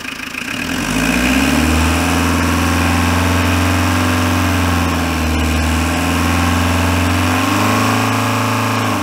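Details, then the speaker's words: Renault Kangoo Express 1.9 dCi diesel, freshly "new-built" engine that lost coolant and overheated; after head gasket replacement (loose head studs found), new thermostat: starts, steady even idle, revs rise and fall smoothly, no knocks or misses; runs well. "Çalıştıralım. Evet, güzel çalışıyor. Çalışması falan güzel."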